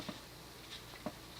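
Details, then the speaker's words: Magic Heat early-1980s 52" ceiling fan with a small Westinghouse stack motor and plastic flywheel, on medium speed: a steady airy hiss over a soft even hum with faint plastic ticks; the bearings are hissy and the plastic parts amplify the sound. "so let's crank it up to medium the bearings are hissy"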